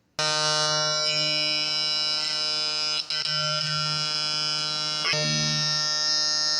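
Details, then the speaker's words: Two-transistor BJT positive-feedback oscillator driving a speaker, smaller capacitor swapped in for higher frequency: steady, buzzy, reedy tone holding one pitch with no wavering or dropouts; oscillator working normally at the higher pitch. "We could even get a higher tone, higher frequency by adopting a smaller capacitor like this."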